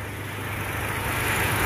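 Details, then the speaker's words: Toyota Kijang engine running at idle, checked for health: steady, even firing beat with no limp or miss and no visible vibration, even with throttle; normal healthy idle. "getaran mesin ya Jadi kita lihat adalah untuk digoyangan mesin jadi usahakan iramanya semacam ini jadi ketukannya itu rata dia tidak pincang ketukannya rata tidak pincang"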